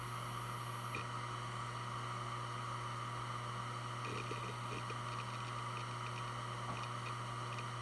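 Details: Western Digital Blue WD1600AAJS 160GB 3.5-inch 7200 rpm SATA hard drive, made 2014, only 17 hours, on a USB adapter doing file operations: low spindle hum, thin high whine, light irregular seek clicks from about four seconds. Healthy, normal spin and seek.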